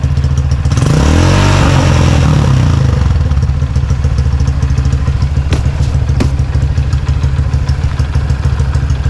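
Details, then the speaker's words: Motorcycle engine with stock camshaft, light throttle blips: revs pick up and settle evenly with steady exhaust beat, smooth valve sound, no high-lift cam clatter or choppy lope. Normal revving. "jadi suara standar tuh dari suara klepnya juga jadi halus mesinnya gak ada suara apa gak ada suara nokenas yang Lif tinggi itu kan bunyi"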